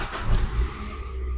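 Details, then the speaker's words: Car start after removing the alarm blocking relay and rejoining the cut wire, so the alarm no longer affects starting; engine catches and settles into a steady even low rumble; clean normal start. "Көлік оталды."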